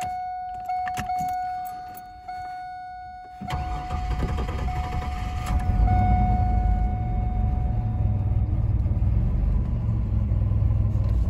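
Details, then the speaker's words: 2000 Chevrolet Camaro 3.8L V6, hot start after 30 minutes at 62°F, straight crank: thin fuel pump whine, then a long uneven labouring crank before firing; smells of fuel, owner suspects a fuel issue, not battery. "all right so it fired up but it did crank for a while so still thinking it might be a fuel issue"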